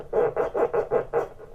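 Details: 1931 AWA Radiola 45E C79 after restoration with rewound transformers: rhythmic scratchy bursts about five a second through the speaker as the volume control turns; audio amplifier is working.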